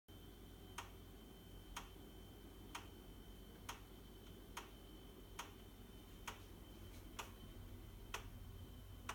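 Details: Baxi boiler: sharp light ticks about once a second, steady and evenly spaced over a low background hum; repetitive ticking/knocking, cause not yet found.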